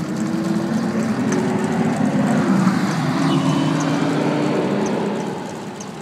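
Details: 2005 Ford F-150 V8 idling with a low, wavering, uneven hum; intermittent rough idle and no-start occurring about once a week, otherwise runs fine.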